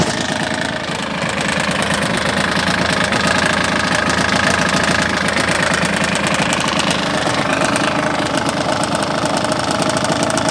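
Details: Yamaha DT125R two-stroke at a rough idle with an uneven knocking about three times a second over the exhaust; piston slap or a bad crank bearing is suspected, not confirmed.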